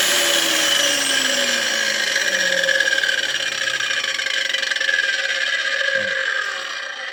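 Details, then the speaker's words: New Macallister 230 mm 2000 W angle grinder with slow soft start, running down: a high multi-tone whine dropping in pitch with a rough gear edge, and the gearbox is clearly audible. The owner suspects the gears were not greased. "Troszeczkę, troszkę nie podoba mi się hałas. Słychać wyraźnie jakby tą przekładnię. Muszę tu zajrzeć, zobaczyć czy nasmarowali ząbki."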